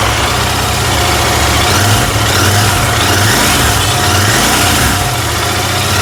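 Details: Royal Enfield GT650 twin on test ride after repair of starting, misfiring and stalling complaints, blown fuse replaced: loud steady beat with wind hiss, pulling evenly with no misfire; complaints resolved.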